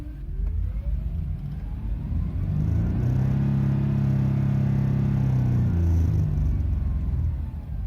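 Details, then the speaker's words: 2010 Jeep Liberty under throttle: thin whine rising in pitch with engine speed over a deep rumble; source of the noise unclear. "please listen to this strange noise coming or that can be heard from the background. So, want to hit the gas?"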